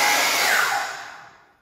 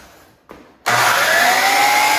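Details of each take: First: High smooth motor whir winding down evenly to silence, no grinding or rumble, from a DeWalt DW717 miter saw; motor sounds healthy. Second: DeWalt DW717 miter saw motor runs up loud and harsh with a rough, hissy roar, then winds down; usually worn bearings (6302 2RSJ and 608 2RSJ), suspected, not confirmed.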